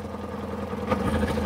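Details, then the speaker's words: Kawasaki ZZR600 with no spark found on cylinder 3, started on choke with the idle screw adjusted: an uneven idle with intermittent stumbles and an erratic rev needle. It is misfiring, possibly running on three cylinders. "It sounds like it's misfiring ever so slightly. Are you only running on 3 cylinders? And just watching the rev dial, it's quite erratic. So it's definitely, so it's definitely misfiring, but it's starting, so that's a start."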